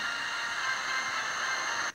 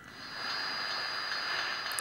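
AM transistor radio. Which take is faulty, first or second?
second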